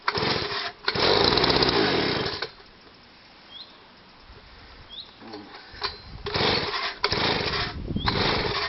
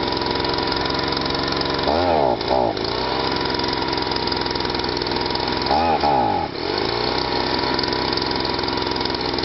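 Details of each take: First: Stihl SH/BG 85 two-stroke leaf blower, cold start with the choke on, previously pumping petrol out of the exhaust: a rough roar that drops to near silence, then surges unevenly. It won't rev and runs rich; the replacement part is still on order. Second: Stihl SH/BG 85 leaf blower, two-stroke, after cleaning a badly choked-up unit that wouldn't start, wouldn't rev and pumped petrol out the exhaust: revs clean and even at a steady high buzz, two brief throttle dips recover cleanly; runs as it should.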